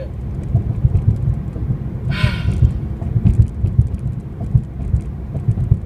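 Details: 2013 Honda Civic Si pulling away in first gear with traction control on: a deep, uneven throbbing rumble from the left, then the right engine area, felt through the clutch pedal. It does not always happen.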